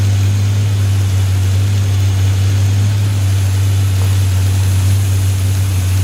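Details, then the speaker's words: 283 V8 running with a fan on after first fire-up; deep, steady, even burble with no knocks or ticks; still needs tuning but runs okay, normal running. "still need to find tuning but it runs runs okay I think"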